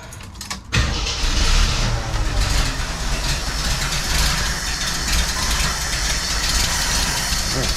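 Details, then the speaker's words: 1981 Jeep CJ7 with new carburetor, idle mixture screw opened further: starts easily then ragged uneven idle; still running too lean, cause not yet found. "all right so still to still running too lean okay so I'm gonna have to figure out where our issue is"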